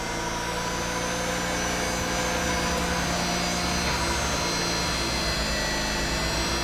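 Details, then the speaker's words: Mazda RX-8 race car with newly installed JDM Renesis rotary engine, first start after capping a vacuum port, started immediately, check engine light on; steady, even buzzing idle without stumbles or surging right after starting; normal idle. "she lives I think mostly only she turns on and turns off in idles for 10 minutes 15 minutes something like that"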